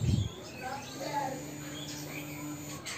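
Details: Yamaha X-Ride fuel-injected scooter after its fuel pump IC was checked; a click at key-on, then a steady low hum for about two seconds as the fuel pump primes: normal fuel pump priming hum.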